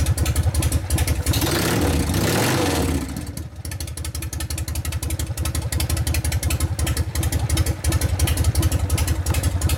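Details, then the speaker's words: 1999 80ci Evo rigid bike, after reassembly and repairs, started for a road test: loping V-twin beat about three pulses a second, steady and tight, previous metallic clanking now gone; normal running. "now that you know the difference now you hear it's all tight you hear the difference in it now it's not clattering around this"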